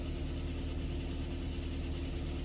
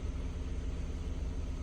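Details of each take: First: Kia Ceed with code P0172, hard starting hot or cold, no throttle response, sensors, valve adjustment and chain already done; fuel trims -15 at idle and -24 at part load. Idle on petrol jerks slightly, with a low uneven swaying beat. Rough rich idle from swapped LPG injector connectors. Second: Kia Ceed after the P0172 fix, on fresh petrol, about 20 minutes running, not yet switched to LPG. Low, smooth, even idle. Normal idle.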